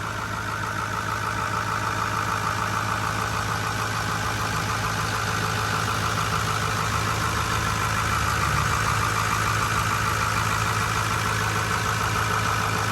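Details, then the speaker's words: 2008 Ford F450 King Ranch dually, 6.4L Power Stroke turbo diesel, heard under the hood: steady, even diesel clatter at idle with a low rumble underneath, no stray knocks or misses; normal diesel idle. "All right, guys, under the hood here is your 6.5 4-liter Power Stroke turbo diesel. Go ahead and have a listen and"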